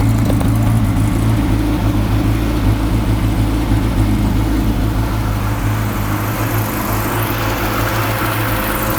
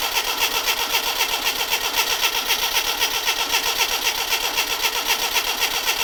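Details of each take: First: Classic Mini Clubman campervan, first running after pressurising the fuel tank by blowing into it so the pump could draw fuel: steady idle, slightly lumpy and uneven, no taps, knocks or bangs; mechanically sound. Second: Classic Mini Clubman campervan, sat unused for years, first start attempt right after adding fuel: starter churns steadily about four beats per second without catching; cranks but won't fire, fuel not yet pumped up suspected, spark and leads to be checked.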